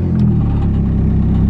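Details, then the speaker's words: Nissan SR20DET at startup: deep, rough rumble with buzzing drone, exhaust line vibrating constantly; engine vibration transmitted to the line, which has no flex pipe, causes exhaust leaks. "Vous avez entendu la vibration de ligne? J'ai ça tout le temps. Vraiment tout le temps."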